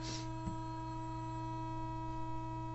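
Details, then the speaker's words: Zenith AP6 portable record player after repairs, generator tone fed into cartridge input (cartridge bad), rectifier giving about 110 V DC: steady, clean sine tone from speaker, faint hum, no crackle; audio amplifier working. "And of course, as we see, the audio, if I crank up the signal, you can hear we have a nice clear sine wave coming out"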